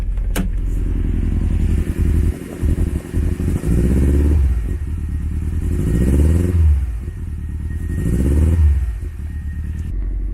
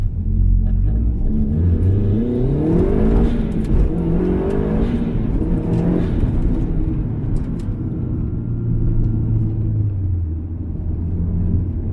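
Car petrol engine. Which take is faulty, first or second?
first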